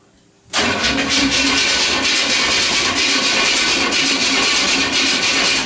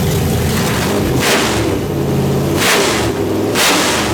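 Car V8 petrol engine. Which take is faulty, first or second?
first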